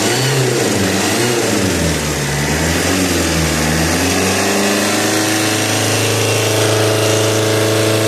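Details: Strange noise near the common-rail pump of an Alfa Romeo GT 1.9 JTD diesel, appearing after a turbo replacement and getting louder each km; exhaust manifold leak checked and ruled out. Engine drops from revs to idle with loud rough hiss and hum; unidentified.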